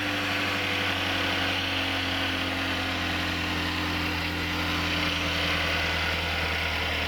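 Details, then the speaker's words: 2015 Chevrolet Equinox 2.4L after repair for a permanent fuel pressure regulator code linked to the timing chain: steady even idle, much quieter and smoother, no ticking or rattle, no check engine light. "There we go. Look to see through the engine. A lot quieter, a lot smoother."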